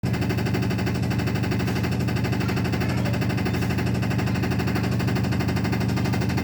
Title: realme washing machine spinning loud noise